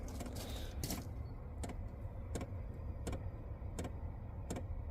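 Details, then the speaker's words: Chinese diesel heater fitted in a small van, two years old, at startup: the diesel pump ticks sharply about every 0.7 s over a low rumble, noisy on startup but normal. "right that ticking noise you can hear there that is now the diesel pump actuating so now is you here now to be fair they are quite noisy on start up once they're up and running they're not too bad at all"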